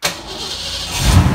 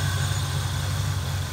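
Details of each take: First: Fox body Mustang 5.0, cold start after sitting overnight with the repaired rebuilt ECU: brief crank, clean catch, then steady even cold idle with no throttle input, idle slowly dropping; healthy. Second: Fox body Mustang 5.0 before ECU repair: deep, lumpy, uneven idle; idle control not responding, traced to faulty ECU.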